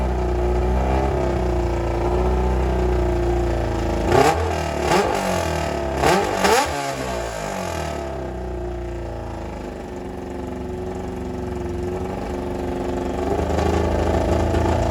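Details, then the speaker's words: 1995 Kawasaki ZX7 revived after water got into the engine, muffler removed: uneven, lumpy running with throttle blips and a ragged, stumbling beat; running rough, not clean yet. "All righty. As you guys can hear, it is not sounding amazing."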